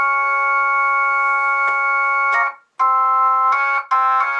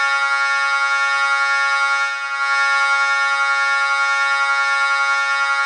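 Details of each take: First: Jensen V21 Leslie upper horn driver with a Leslie 122 amplifier and 1963 Hammond B3 organ, after resetting the diaphragm: chords ring clean and steady with no rattle or buzz; normal operation. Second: Jensen V21 Leslie upper horn driver fed by a Leslie 122 amplifier and dividing network, sounding a sustained note from a 1963 Hammond B3 organ: raspy buzz riding on the tone, before repair; rubbing diaphragm.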